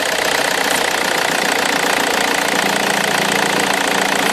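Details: Omega 2.2 DTI turbo diesel, stone cold at idle: hard, uneven clatter pulsing about three times a second with smoke when vacuum is applied to the wastegate actuator; owner suspects a crack near the wastegate; not confirmed.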